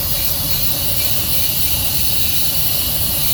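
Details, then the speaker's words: Truck trailer air brake line with a big crack: loud, steady high hiss of air leaking out. "See that big old crack right there? I'm sure you hear that hissing. It's leaking air."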